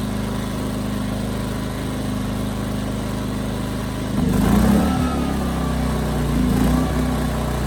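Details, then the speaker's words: 15-month-old Ryobi RYI2300 inverter generator after fitting a new plug: even idle, then engine note rises and hunts up and down about four seconds in; surging under light load persists, owner plans carburetor replacement. "so that's about what I thought it's running the same as it did before maybe slightly better but problems not gone either way"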